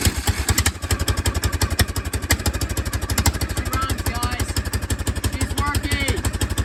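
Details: Old golf cart with a bad fuel pump, started on a jump box because cranking gave too little suction: small single-cylinder engine catches and settles into an even chugging beat, about three pulses a second; it runs fine, engine shaking normal.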